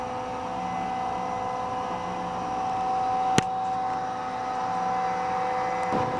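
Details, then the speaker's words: 20 hp twin-tower integrated rotary screw compressor, cooling fan blowing, heard walking around the unit: steady airy rush with a constant hum and fixed tones, no rattle or scrape; fan running normally. "right now the fan is blowing should be able to hear it"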